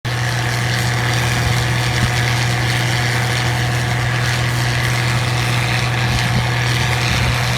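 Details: 1688 combine harvesting wheat: a loud, steady low drone with constant rough clatter and no change in speed. Abnormal noise, cause unclear.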